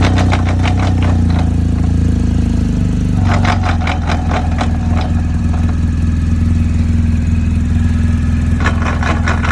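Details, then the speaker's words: 2020 BMW R1250 GSA after highway breakdown at 75 mph when coming off the gas: steady idle, but in gear bursts of fast metallic clicking and clatter come and go; owner suspects the final drive shaft, which the dealer is replacing entirely. "That in the middle of the highway, me just coming off the gas a little bit, and that's what happened. To me, it seems like the final drive shaft."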